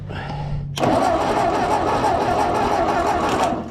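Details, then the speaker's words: Ford 8N tractor, cranking: starter turns engine over at an even steady beat with no firing and no clunks; ignition coil has burst, so there is no spark. "The coil's all exploded on it. It's not gonna have any spark. So, it turns over anyway, so that's good."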